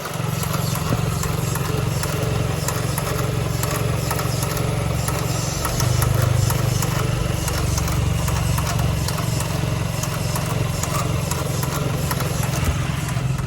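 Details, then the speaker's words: Vanderhall, overheated after sitting in the sun, with the hood on: steady idle with a fast irregular clicking heard from the power control module area; gauges are dead and revving shows no RPM. Clicking at idle. "And there's a clicking sound. So I'm giving it gas. Nothing. And then the sound is coming from the area where the power control module is."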